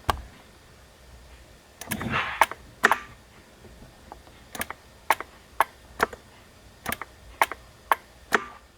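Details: 2012 BMW E93 335i Convertible electric glove box, recorded close up: sharp dry clicks about twice a second as the latch motor strains but the side latches won't release. The mechanism was sticking; grease fixed it.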